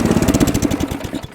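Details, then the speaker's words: Ariens Deluxe 28 snowblower, LCT 254cc engine, after carburetor cleaning: crisp even beat of roughly ten to twelve pulses a second, steady, then throttled down and winding down at shutoff; normal running. "That Ariens Deluxe 28 starts right up and runs great now."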